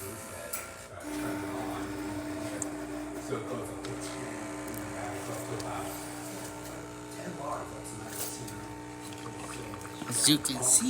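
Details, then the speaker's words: DeLonghi La Specialista espresso machine after full service, test shot: steady low pump hum with no stutter, steady stream, pressure in optimal zone, good crema; pump operating normally. "can see, there's a nice steady stream coming out through the spouts, excellent pressure on the optimal zone, nice flow, and really good color and crema on top of the shot of espresso."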